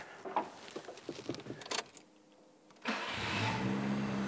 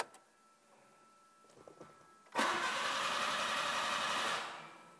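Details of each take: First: Nissan March Superturbo after new control arms, brake service, new exhaust and dump pipe: engine catches promptly and settles into a smooth, even idle, sounding much the same as before; healthy start. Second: Nissan March Superturbo with a new fuel filter and the fuel pump just reconnected: steady starter churn for about two seconds without firing while the pump hasn't primed; owners suspect the fuel pump is wired backwards.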